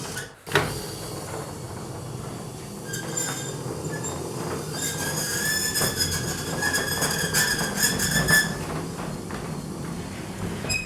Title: Garage roller door maintenance - fixing squeaks and lubrication